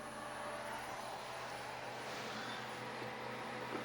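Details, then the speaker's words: 24 V 600 W power supply fan, running for a boat refrigerator on test, heard near the unit and much louder than the fridge fan; constant airy whoosh with steady low hum and faint high whine, running normally. "Ich weiß nicht, ob man einen Lüfter hört, aber der vom Netzteil ist um einiges lauter. Dieses Geräusch ist der Netzteillüfter."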